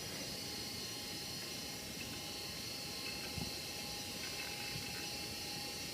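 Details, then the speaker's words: Dell Latitude LS laptop (Pentium III 400 MHz) booting Windows 2000: steady high-pitched fan whirr with a faint rough rasp under it; fan sounds worn, possibly a bearing, but still works. "As you could hear, the fan is not in the best condition. It has what sounds like it has a worn bearing or something. But it still works just fine, so."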